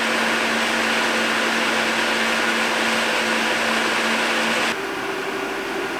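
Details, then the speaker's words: ASUS ROG Strix RTX 2080 stock fans at full speed before Noctua NF-A9x14 swap: loud steady airy roar with faint hum, pitch dropping near the end; louder than the Noctuas but also faster. "As you can probably hear, at full speed the stock fans are way louder, but that's to be expected since they are also way faster."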